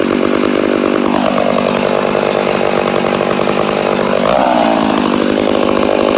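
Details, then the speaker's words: Rebuilt McCulloch Super Pro 80 two-stroke chainsaw on its first start after the rebuild: the high buzz sags and climbs instead of holding steady; the owner suspects an air leak. "a sounds like we got air leak definitely sounds like she got an air leak but she does sound good yeah I'd say we have an air leak somewhere"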